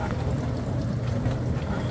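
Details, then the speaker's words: Dishwasher after DIY wash motor replacement, filling with water, no leaks underneath: constant low hum with no grinding, squeal or stalling; normal wash motor operation. "Okay, so there's no leaks under the dishwasher, and that motor, as you can hear, is running fine."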